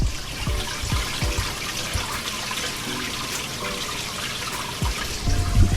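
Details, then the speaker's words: 75-gallon reef aquarium sump, return pump on full, after new PVC plumbing: constant irregular splashing and gurgling with low sloshes, no pump hum; noise comes from water falling through the trickle tower section, not the overflow. "so it is a little bit noisy and that's not overflow it's mainly this section right here"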